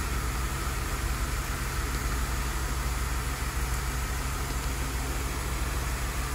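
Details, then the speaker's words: Car skipping with a fuel leak, engine idling, stethoscope on one fuel injector: a steady, even pulse with no misses or irregular clicks, so the injector is pulsing normally; lost fuel pressure from the leak is the likely cause of skipping. "Pulse sounds good."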